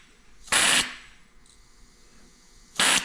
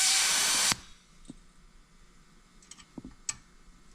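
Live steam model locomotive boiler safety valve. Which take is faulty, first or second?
second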